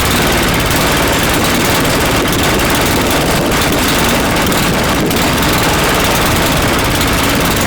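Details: Customer snowblower after cleanup and reassembly: busy, constant small-engine clatter with no stumbles or surging over eight seconds; runs steadily.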